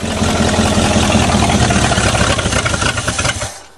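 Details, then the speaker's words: Old Oldsmobile 88 started after sitting three years, fed fuel into the carburettor: the engine catches, smokes and chugs along on its own at a steady beat before fading; running acceptably after storage. "it's smoking it's running all by itself"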